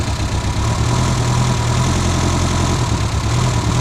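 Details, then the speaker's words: Reliant Robin just after start, low throbbing idle with an uneven beat; misfiring because a non-charging alternator leaves low battery current starving the ignition, smooths once charge rises; old alternator later replaced with a more powerful one. "Now, as you can hear, it's misfiring because it's not. As soon as it brings the charge up, it's fine."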